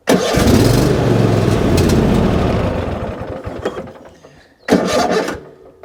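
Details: Riding mower tractor with half a tank of fuel, started outdoors in light rain: it cranks, catches and runs with an uneven, stumbling beat and occasional skips, a slight misfire. Earlier it popped badly and almost sounded like knocking, as if one cylinder wasn't firing; cause not found.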